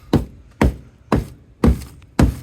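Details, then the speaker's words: 1966 Ford LTD underbody panel under an old undercoating, tapped after freeing probably never-removed bolts: five dull, dead thuds about half a second apart with no ring, metal sounding rotted through; just rust. "you hear that? That sounds like just rust."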